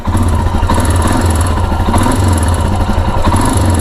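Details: Royal Enfield Himalayan single-cylinder idling: light, quick metallic tick on each beat; suspected timing chain noise, not confirmed.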